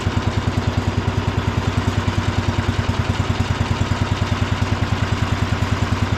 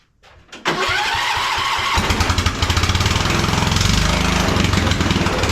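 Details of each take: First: Cub Cadet International Harvester 1250 tractor after re-bolting the shroud and muffler to cure vibration noise: steady single-cylinder thump at idle, some vibration remains; engine runs well and doesn't burn oil. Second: 1976 Cub Cadet International Harvester 1250 tractor, single-cylinder, at startup: loud, raw, crackling bark far louder than normal, like race headers; exhaust problem, muffler feared torn off, cover removed to check.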